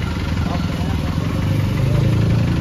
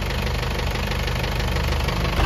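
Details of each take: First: Isuzu 4BE1 diesel truck after replacing faulty injectors to fix a noisy engine: steady low diesel rumble at idle, even and unhurried, no knocks or rattles; now sounds healthy, normal idle. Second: Isuzu 4BE1 diesel truck at idle: heavy steady hammer-like knock, loud at idle and fading as rpm rises; rocker arm adjustment didn't fix it, cause was worn piston pin bushings and worn crank journal.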